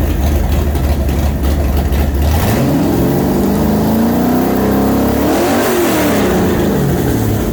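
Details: Newly built 427 Windsor Ford V8, 540 hp, roller cam, carburetted, for a 1965 Cobra, mixture and timing set, restarted: deep even idle, then clean blips rising and settling smoothly, no knocks or misses; healthy engine.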